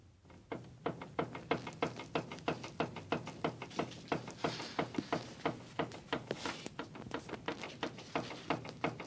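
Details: Mazda 323F BA steering rack gives sharp, hollow knocks about three times a second; cause still being sought, with the tie rod end, tie rod and boot being checked.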